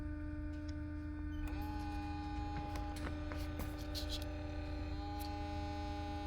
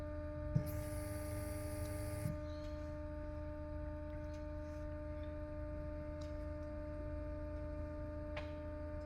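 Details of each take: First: Porsche Cayenne V6 diesel (shared with Touareg/Q7), actuator test via diagnostic tool after DPF cleaning and returning no-power fault: EGR coolant pump runs with steady electric hum and thin whine rising and settling; works but sounds unhealthy. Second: Porsche Cayenne V6 diesel with no-power limp mode after DPF cleaning, engine off during diagnostic actuator test: relay click, then steady low electric hum with faint whine from the auxiliary fuel pump; working normally.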